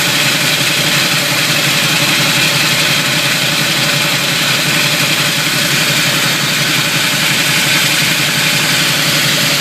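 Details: Camaro at low idle with constant harsh gritty grinding, suspected flywheel/starter/torque converter, worsening when pulling away and shifting between drive, neutral and reverse; minor chipping on flywheel teeth where starter meshes, bolts tight, still drives and shifts fine.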